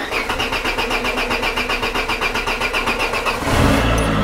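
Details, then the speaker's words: Peugeot 205 cold start after engine mount and heater radiator work, choke pulled fully: starter churns about four pulses a second for three seconds, then the engine catches into a fast, rich idle. Normal cold start on full choke. "alors starter que je tire à fond [Rires]"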